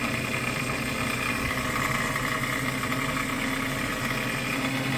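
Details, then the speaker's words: Vintage Robbins & Myers fan motor after restoration reassembly, spinning in correct direction; steady buzzy hum with harsh raspy edge, earlier squeaking; owner suspects brushes hitting or too tight, or missing front grease fitting; abnormal motor noise. "Well, it's not going in the wrong direction, but something sounds off. Let me see if those brushes are hitting or too tight."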